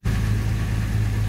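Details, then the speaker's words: Series 1 Jaguar 4.2 six-cylinder with original carbs and automatic choke, cold start after sitting 2–3 weeks with new electronic ignition fitted: starts first turn of the key and settles into a deep, even idle, smoother cold than ever. "3 weeks and it just started. First flick of the key, look. Honestly, I've had 4-year-old cars that don't start as well. And by God, it's running smoother cold than it ever has."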